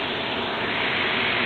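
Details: 2013 Jeep blower motor, about 50k miles and 5 years old, bench-run, drawing 15 amps: a steady airy hiss with a faint constant whistle; noisy blower motor replaced for hissing, no debris in the cage.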